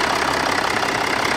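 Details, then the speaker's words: 2014 Range Rover Sport 3.0 turbodiesel, automatic, AWD, 82,000 km, started right after replacing the under-hood fuel filter (MAHLE KL-1044): steady, even diesel clatter at idle, no stumbles; no leaks, all dry, running normally. "в данный момент ничего нет все нормально все сухо все хорошо двигатель работает"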